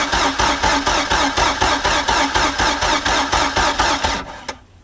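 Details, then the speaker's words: Mercury MerCruiser 3.0 sterndrive on muffs, sat nine years, new fuel pump and carburetor just installed: starter churns steadily with compression pulses but engine doesn't fire; cranks but no start while drawing fuel up. "see if it'll at least kick over this time really wants to i can hear it it's just not so dang close though man"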